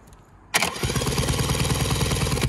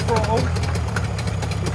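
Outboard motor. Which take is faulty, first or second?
first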